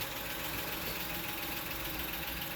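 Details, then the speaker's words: 2007 Honda Odyssey 3.5 that made a loud noise when steering; after replacing the stabilizer bar bushings and links, engine idling with wheels on, the wheel is turned both ways with a steady hum and zero clunks or creaks. "Dale para acá. Dale para allá. Cero ruido."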